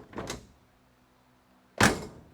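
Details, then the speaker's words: 1969 Dodge Coronet 500 sedan, front raised: a light latch then a deep dull thump as the door shuts, shown in the panel gap; door no longer aligned with its striker because the front of the car sags. "Hear that? That deep thump. That means the door isn't aligned anymore. It's not aligned with its striker, which means the front of the car."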